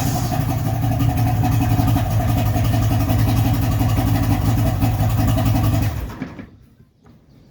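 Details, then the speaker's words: 55 hp Johnson two-stroke outboard after teardown and carb adjustment, idling before shutdown: a steady, even two-stroke burble with all three cylinders firing cleanly and no fuel leaking from the carbs. Normal idle; considered fixed. "would say that sounds pretty awesome pretty good i'm pretty happy with that we got no fuel pissing out of the carbs we got i could feel the good suck definitely running on all three cylinders it's got that lovely blah blah blah blah sound"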